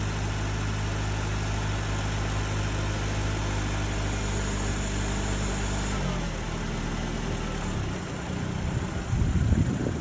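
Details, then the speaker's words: 2008 Nissan Altima at auction, started with a jump: steady even idle with a smooth low hum, note shifting as it is moved forward and backward; sounds healthy. "jump move it forward and backward it sounds really good on this one"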